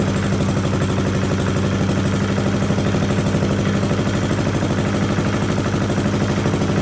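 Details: 1982 Billy Goat vacuum single-cylinder engine after an ignition swap: holds a steady, even firing beat with no misfires or clatter. A very solid, healthy running engine.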